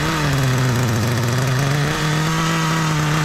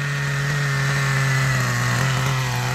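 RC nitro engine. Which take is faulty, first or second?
second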